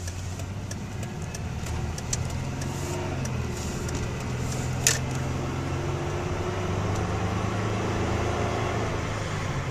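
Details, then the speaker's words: 1997 Dodge Intrepid with 191,000 miles on a test drive; even engine drone under road and tyre noise with a few light ticks, no knocks or misses; sounds pretty good, normal engine running while driving. "know what it sounds pretty good"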